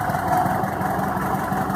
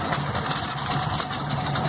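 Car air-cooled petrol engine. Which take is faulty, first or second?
second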